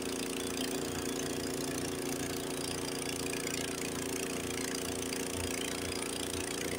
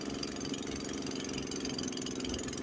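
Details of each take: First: Honda HS80 snowblower, single-cylinder engine with fast throttle set to spec 3600 rpm, in first gear throwing snow at full throttle under load. Runs steady and strong with no bogging, unlike an identical unit set at 3000 rpm. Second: Honda HS80 single-cylinder snowblower with fast throttle set at 3000 rpm instead of spec 3600, in second gear throwing snow about 12–15 ft, runs hard and slightly uneven, bogging down under load and more through the snow berm.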